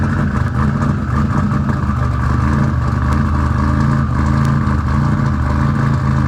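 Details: Car after installing RJC V-band exhaust gaskets, exhaust leaks fixed: loud, even engine note with steady rumble, no puffing or ticking from the pipes; exhaust sealed, runs healthy.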